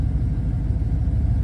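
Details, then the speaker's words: 1967 Ford Falcon 302 V8, carburetor with Carb Cheater 2.0 autotune air-bleed just installed, first start: steady low, even rumble, smooth regular firing, no knocks or misses, idling slightly lean as usual; normal idle. "I'm going to fire it up. Carb cheaters will connect. And it's idling happily right now. Little lean, but it usually does that"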